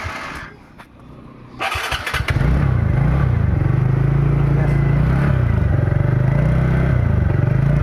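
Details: TVS NTorq XP BS6 scooter after tightening a loose nut identified as causing an engine noise: engine fires and settles into a smooth, even low putter with steady beat and no rattle or tapping.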